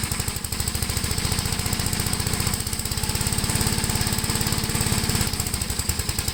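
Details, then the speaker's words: 1973 Gravely C8 single-cylinder, after carb adjustment and magneto points cleaning, mowing in high gear with mower deck: uneven popping about two and a half beats a second, sagging under load; overheating, owner suspects governor; failed mowing test. "this tractor is not a complete failure at least we got it to start up but it definitely failed the mowing test"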